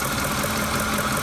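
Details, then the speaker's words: 2008 Ford F-150 5.4L 3-valve at idle: steady idle with an uneven, shaky beat; pulling the number four coil changes nothing, so that cylinder is dead. VCT solenoids, spark plugs and coils already replaced without curing the rough idle. Dead cylinder misfire. "at's just a dead misfire even at idle especially at idle"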